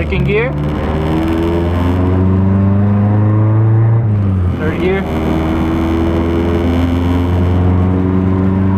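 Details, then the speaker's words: Nissan 240SX KA24E test drive after IACV cleaning, checking for bog in third/fourth gear: engine pulls cleanly, pitch climbing evenly, brief dip at gear change, no bog or hesitation through fourth gear. "fourth gear there's no bugging whatsoever so it sounds really really good"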